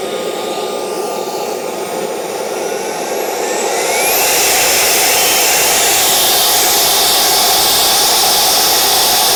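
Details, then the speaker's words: CARF Rebel Hot RC jet's newly installed turbine during the throttle check. A steady whoosh with a high whistle climbs smoothly at four seconds, then holds an even roar. Normal turbine run-up. "all good we do a restart check 4 5 5 6 we're at half throttle"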